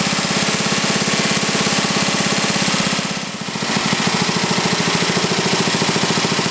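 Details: Briggs & Stratton 11 hp flathead single (model 25), first run after a year idle, cold start at about 60°F after a night in the 30s: even steady thumping with one brief dip mid-clip; runs well, burns a little.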